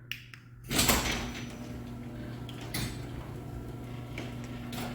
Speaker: And I've got it closing nice and soft on the ground. You can hear it does grind quite a bit on the way down. But like I said, they all do that.